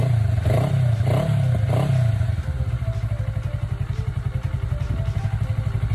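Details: Kawasaki Ninja 400R (400cc, 2013-registered, 7 years old) started after three months unused since December, despite an expected dead battery: fires and settles into a steady, even low idle putter with no knocks or rattles; running healthy.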